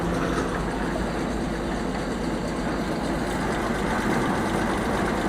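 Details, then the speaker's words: Oliver 525 combine engine idling after governor rebuild: smooth, even, steady low rumble with no knocks or misses. "come on idle idling real good"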